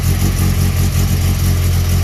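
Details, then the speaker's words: 1992 VW GTI track car, 2.1 stroker 16v with 288 cams, after a temporary exhaust leak patch and a power steering leak fix: deep, steady exhaust rumble with an even beat and no puffing or hissing. The exhaust is much improved. Finding: normal exhaust note. "all right so right away i can tell you the exhaust is great compared to what it was"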